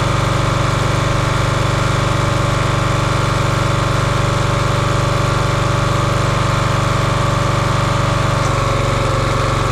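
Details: Champion 27-ton log splitter, 224cc engine, stored outside probably over a year, after a hydraulic fluid leak was fixed by tightening a fitting: even single-cylinder chug about four beats a second, slight tone change near end as load shifts; healthy.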